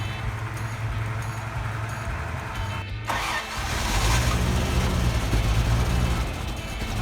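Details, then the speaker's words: Barn-find Toyota FJ60 Land Cruiser in cold weather, after a new carburetor and fuel pump: cranks briefly, catches near three seconds, then settles into a steady, even low rumble, smoking as it burns off Sea Foam; starts and runs fine. "Just like that, she's running. She's burning off the sea foam that we put in the motor, trying to clear her out. She actually sounds pretty good though."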